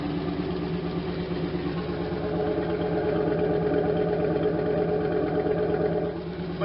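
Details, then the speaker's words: 1992 Camaro Z28 with a 100% stock L98 350 V8 and stock muffler, before a Flowmaster Super 10 swap: steady idle with a light tap about three a second. Exhaust leak at the joint being worked on. "You gotta hear it's got a little tap because it's leaking out right here where we've been where I've been working"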